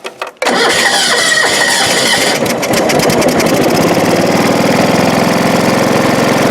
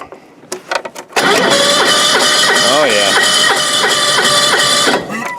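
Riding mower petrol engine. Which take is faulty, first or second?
second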